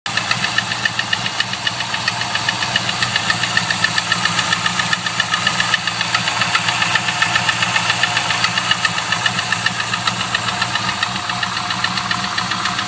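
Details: GM LS1 V8 at idle: a sharp, even tick-knock at about 220 per minute over a steady idle; an unknown knocking noise with gudgeon pin failure suspected but not confirmed.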